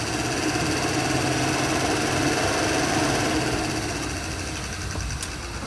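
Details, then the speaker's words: Mitsubishi Lancer with overheating, cooling fan fed directly from the battery by jumper cables, bypassing the fan control switch: steady even whirring hum at constant pitch, no grinding or ticking; fan motor works, power supply suspected. "so we've determined now that the fans are working so do we have a power supply issue because I was drawing my power direct from the battery itself"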